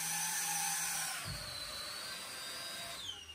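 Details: Quadcopter on a MicoAir H743 AIO flight controller (ArduPilot), low-altitude test in stabilize mode: high, smooth motor whine that eases lower as throttle settles. It hovers normally, confirming the setup is correct.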